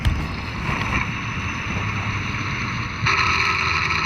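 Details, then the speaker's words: 12-year-old all-wheel-drive Ford F-150, original owner, driving while accelerating, heard through a stethoscope pickup on the transmission: steady high whine holding pitch under road and wind noise; transmission bearing whine. "and it's making that noise really sounds like a bearing noise it's in the transmission you never know how long it'll last"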